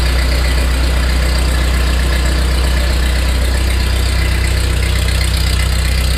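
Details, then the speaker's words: 1948 Ford 8N tractor just after its first start following a complete engine rebuild, in neutral. Deep, steady idle with an even, regular thump and no tapping or misfire; excellent oil pressure, gauge pegged: normal idle. "excellent oil pressure heck it's got the G gauge Peg that idle that ain't bad so far so good proof that it runs"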